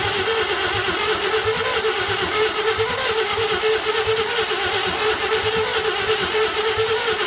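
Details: 1952 Chevy first start attempt after reinstalling the fuel pump and pouring fuel in the carburetor: a steady mid-pitched starter drone with an uneven, slow churn, with flame shooting up but no catch. It cranks but won't start; the owner doubts the fuel pump is delivering any fuel.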